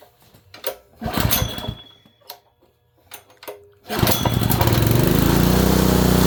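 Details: Honda engine (likely a water pump) after an ignition coil install: a few rough pulls, then it catches and runs hard with a steady heavy thump underneath, a hard bottom-end knock. Oil didn't look terrible; whether it will pump water is unknown.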